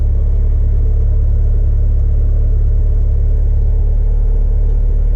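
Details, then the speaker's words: 1996 Mitsubishi Evo IV CN9A, 4G63 turbo, idling after new spark plugs, oil change and MAF clean; catalytic converter warning light likely from unplugged O2 sensor: steady low rumble, even beat, no stumble or misfire; smooth, not rough. "kind of hard with a GoPro sorry didn't my better camera idols looking good it's not rough"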